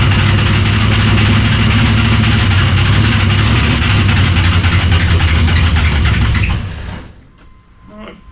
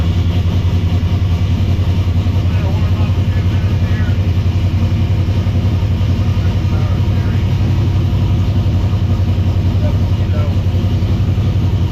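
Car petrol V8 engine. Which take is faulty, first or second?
first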